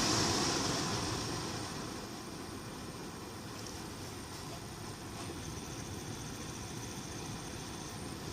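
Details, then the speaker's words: Infiniti M45/M35 AC blower motor under the glovebox, a less-worn spare replacing a loud one, bench-tested at max before installation: constant airy whir at steady speed with no rattle, ticking or squeal; normal blower motor. "got a constant fan sound you know it sounds like a fan basically that what do you call it a whirring noise whi RR so no funny sounds nothing right"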